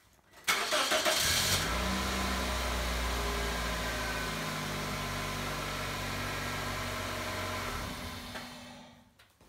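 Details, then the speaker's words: Pontiac Vibe / Toyota Matrix starting just after the weak battery was replaced with a new top-post battery: a brief, strong, quick crank, then it catches at once and settles into a steady, even idle; normal cranking and start on a healthy battery. "you can tell right there that's a strong healthy battery it started the way it should"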